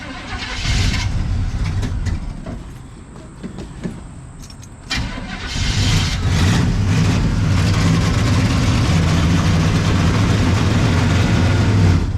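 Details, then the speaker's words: 1974 Chevrolet C10 small block, off the road over 10 years: cranks, catches after about five seconds, then a loud, lumpy fast idle with an uneven beat; running rough and rich on the carburetor tune, the owner suspects over-advanced timing. "It's running terrible. Give it too much of everything, man. This should be exciting. She's running richer than Queen Elizabeth right now with my carburetor tune."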